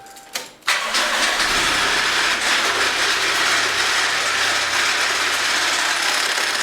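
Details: Toyota 5A-FE engine: cranks, catches and idles with rough uneven knocking, power lost; owner suspects timing belt jumped after tensioner froze in cold weather, unconfirmed; engine knock.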